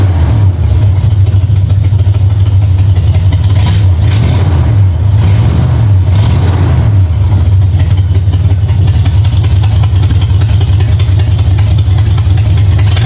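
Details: 1965 Mustang V8 with new headers, timing at 12 degrees before, after turning the front idle screw about three quarters of a turn: deep even burble at steady idle with a brief rise midway, smooth and properly set; sounds real good.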